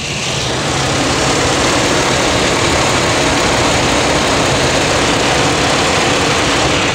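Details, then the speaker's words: Pontiac Aztek with an overheating complaint, engine running, cooling fan switched to high speed: loud, steady rushing whoosh with no grinding, ticking or wobble; fan working normally. "so let's go ahead and try the high speed so now we're on the high speed i'm going to turn it on there it goes"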